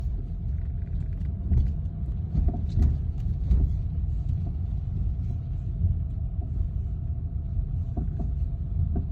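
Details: BMW F30: irregular sharp knocks come through a deep, steady vehicle rumble with a faint constant hum. Source of the knocking is unknown and the owner is asking for help.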